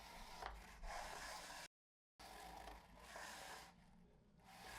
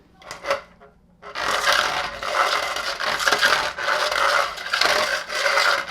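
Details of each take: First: Henry Allergy HVA160 canister vacuum, alternate floor tool: only a soft low rubbing as the head slides, with no squeak; unlike the original tool, whose out-of-spec squeegees scrape and squeal, this one glides quietly. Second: Henry Allergy HVA160 canister vacuum extra floor tool pushed by hand with motor off: dry uneven scraping and squeaking; squeegees copied from the original tool are out of specification and drag.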